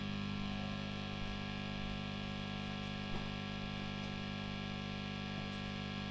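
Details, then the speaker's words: Heavily gigged JMI-era Vox AC30 just switched on without a variac, before service: a steady low mains hum and buzz with nothing played; the worn filter capacitors need replacing. "yep as you can see it's got quite a bit of capacitance home on"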